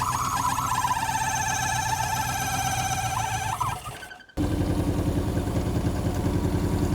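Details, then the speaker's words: Fiat 125 barn find with a 1.6 L twin-cam four-cylinder, after the distributor, found 180 degrees out, was turned: it finally runs with a steady, even idle, consistent pulse and no stumble. "Well, there you go. We finally got it running."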